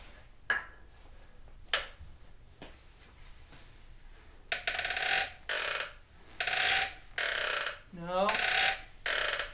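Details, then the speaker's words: 2004 Yamaha R1 rear suspension pushed up and down, checking one joint at a time: repeated squeaks and creaks, some sliding in pitch; a dry rear shock or linkage joint, exact source not yet found. "try this back joint hard to see looking into the light that's what it sounds like"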